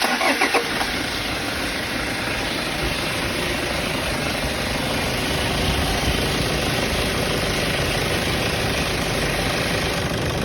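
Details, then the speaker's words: Toyota Fortuner diesel with 175,000 km starts and runs with busy clatter and a faint steady whistle rising toward the end; noisy turbo, removed for inspection, found dirt buildup. "So ang gagawin natin dito mga boss dahil maingay ang kanyang turbo, tatanggalin muna natin ang kanyang turbo at i-check po natin kung bakit po siya maingay."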